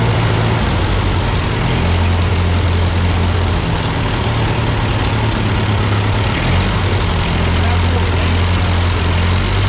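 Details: Ford 8N tractor that sputtered and stalled going uphill with a cheap replacement carburetor, idling after the carburetor was adjusted: a steady, even, smooth low idle with no misses or knocks; sounds good, not yet tested under load.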